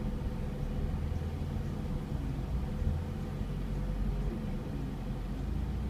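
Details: Mazda MX-5 Miata NA6 after installing an ASI 52mm radiator: low, uneven idle that wavers and stumbles while the A/C is on, caused by an air bubble in the cooling system; fixed by removing it.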